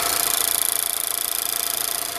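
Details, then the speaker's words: Mazda3 direct-injection engine on cold start: fast, even metallic ticking back and forth over a light idle from the direct-injection fuel pump; normal clatter, though annoying. "really hear that clicking sound going back and forth which can get pretty annoying"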